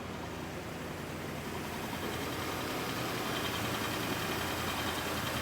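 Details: Rolls-Royce Silver Shadow just picked up from the repair shop: an even, quiet idle with a soft steady hum and no ticking or misses. The big engine sounds healthy, and a pump is heard running.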